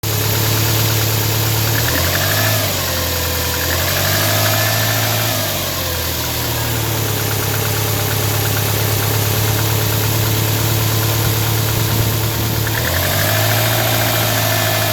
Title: Impreza engine knocking